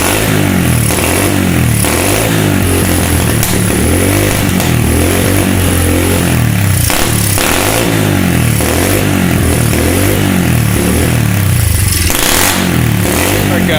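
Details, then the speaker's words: SSR 125 pit bike single-cylinder revving, surging and uneven with rough blips after the carb was refitted; engine dies with the choke off because the pilot jet was still blocked despite carb cleaner. "so we had the carb off the first time put it back on same problem one of the things that you got to check you got to make absolutely sure that that pilot jet is actually 100% clear before you put it back on"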